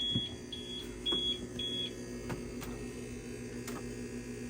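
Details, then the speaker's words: UPS in a shed, unplugged from AC and running on battery: short shrill beeps every half second over a low hum; it sounds wrong but still keeps the internet running. "this thing doesn't sound right but it still works still keeps all the internet and stuff going"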